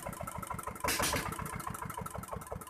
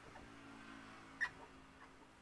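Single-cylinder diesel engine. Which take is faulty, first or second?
second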